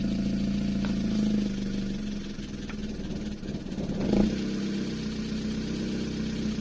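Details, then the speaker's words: Toyota 2E with newly installed 270–272 duration TRD regrind camshaft, first startup before valve adjustment; fast light ticking over idle following revs; valve tick from incorrect, excessive valve clearances. "i need to go listen to this because it's sounding quite a bit valve ticky so it means that the valve clearances are not correct so that can be an issue depending on how much they're out"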